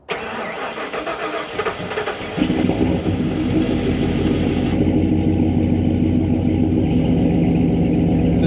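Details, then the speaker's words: Big-block Ford Bronco cold start, engine at 73°: about two seconds of cranking, then the V8 lazily rolls into a lumpy idle instead of catching crisply; owner suspects tuning, fuel trim or IAC. "It's not really giving that rumble to life. It just kind of slowly rolls into life."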